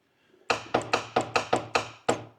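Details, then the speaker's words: Land Rover Series 3 during dash rewiring, starter earlier seen arcing: eight sharp uneven metallic clicks in about two seconds with no cranking; starter solenoid chattering, starter not turning, cause unknown. "That's disconcerting. Why is the starter playing up?"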